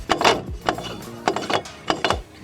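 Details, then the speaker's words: Front brake with the rotor retaining screw missing from the hub, so the disc shifts when braking: hollow metallic clunks in bursts about every 0.6 seconds; loose brake rotor. "Y es de suma importancia que aprietes bien tus bir y tengas este tornillito porque si no se va a girar el disco y vas a escuchar ese ruido también"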